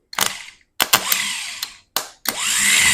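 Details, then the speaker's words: Starter removed from a 1977 International Harvester 140 tractor and bench tested by jumping power to its stud with jumper cables. Three short whirring bursts, winding up quickly and coasting down freely: the starter spins normally and is not seized. "Alright. So we know the starter works."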